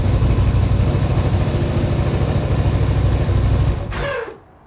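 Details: 2025 XMR 1000 making a weird noise when starting; heavy, uneven low thumping and popping while running, then the engine cuts off; cause unknown.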